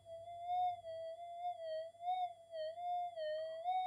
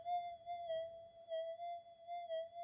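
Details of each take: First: Redesigned-input Minelab GPX 5000 with better MOSFETs and input op-amps and no extra supply-rail capacitors: a clean, wavering tone near 700 Hz over a quiet background. The target signal increase is credited to better op-amp signal-to-noise ratio. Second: Brand-new factory-standard Minelab GPX5000 metal detector, coil in air, before input-stage redesign; steady high warbling threshold tone with slow wavering pulse about twice a second. Threshold chirp noise, considered pretty standard.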